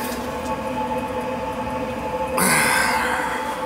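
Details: Riello oil burner on an oil boiler after service: new filter, new nozzle, good oil flow, good over-fire draft, and a blocked, holed top found. A steady, even roar and constant hum, with one brief clatter midway; clean normal firing.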